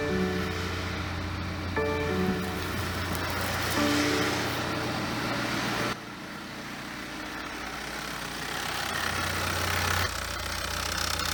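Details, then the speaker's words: BMW F34 320d with B47 diesel, about 150k km, idling during inspection: steady coarse whirring drone over the engine from a noisy alternator, a rare fault in this model. "nieźle hałasuje co Rzadko się to zdarza Nawet powiedziałbym że to się w ogóle prawie nie zdarza Słuchajcie Głoś jest alternator"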